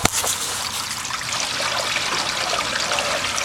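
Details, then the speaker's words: Backyard sump pump discharge pipe, newly sealed and riveted extension, combined with gutter runout: steady rushing hiss of water, no dripping or spitting, flowing clean with no leaks. "You can hear the water going. It's rushing through with no leaks."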